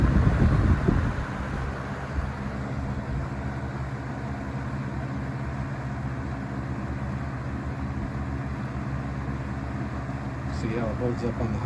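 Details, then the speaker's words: Vintage Coast-Air 12" box fan, guessed late 60s to early 70s, on high speed: low steady whoosh and soft even hum, low vibration, good air movement, no rattles, scraping or bearing whine; running normally. "speed still pretty low vibration good air movement"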